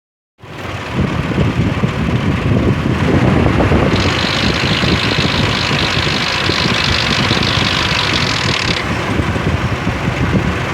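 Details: 2003 Ford Explorer petrol engine idling with a busy, loose metallic rattle from bad timing chain guides and tensioners.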